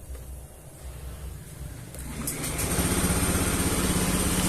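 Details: Honda Beat eSP scooter that sometimes stalls by itself, code 52 shown, after resetting MIL codes with mode 1: quiet cranking catches in about two seconds and settles into a steady, even idle; clean start.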